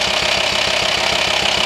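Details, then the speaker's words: VW T5 Transporter 2.5 TDI diesel, idling: quick, even clatter riding over the engine, knocking felt as vibration at the air box hose; diagnosed worn camshaft and lifters, some hollowed through, repaired with new camshafts and lifters. "so unfortunately we have just diagnosed A Worn chem shift and tap it so it's kind of a big job if you have this problem"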